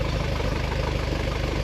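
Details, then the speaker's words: 1976 Corvette Stingray 5.7 V8, bored .060 over, warming up but not yet warm after fixing binding roller rocker trunnions: steady, even low idle with only a faint normal valvetrain patter; no abnormal knock or tick. "we're still not even warmed up yet and I could already tell a difference in the what sounds like normal mechanical valve train noise as opposed to something that's not supposed to be there"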